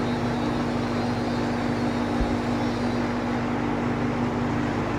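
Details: Vintage Sears box fan, free find, original cord, first run on high: steady, even whoosh of air with a low motor hum, no knocks or scraping; it works on high, though owner suspects a motor or switch fault.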